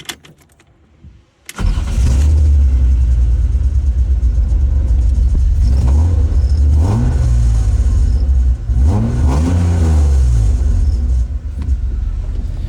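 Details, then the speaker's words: BMW E36 328ti Compact with swapped M52 engine (owner reports blown head gasket): engine catches and revs in several blips with a coarse, raspy exhaust edge; mid-pipe leak known, owner suspects rasp is leftover debris in the exhaust. "so i think all that raspy messy [ __ ] is just like the remnants of all that crap that was in the exhaust when we put it on"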